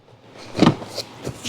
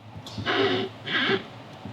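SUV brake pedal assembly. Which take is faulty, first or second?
second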